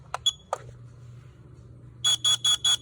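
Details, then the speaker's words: CanCOB LP2 smoke alarm test with tape over the sounder: four short shrill beeps in a quick even burst, thin and muffled by the tape, so the alarm does not sound good. "That does not sound good with the tape."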